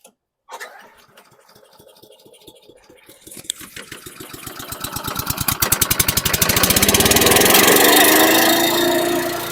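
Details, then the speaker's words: 2010 Troy-Bilt CSV 070 chipper shredder vacuum, 173cc MTD engine built June 2010, started on choke with the bag fitted: after a few pulls it races loud at high RPM, and the idle fluctuates and hunts; owner suspects it needs a carb clean. "loud and very high RPM so kind of a fluctuating idle I'm sure it needs a carb clean but kind of surpris it started"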